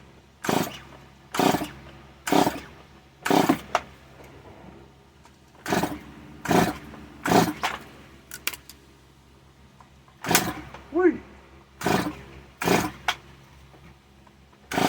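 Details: Stihl MS 170 chainsaw being pull-started: repeated short bursts about a second apart, catching briefly but never running; owner then checks possibly wet spark plug, cause unconfirmed.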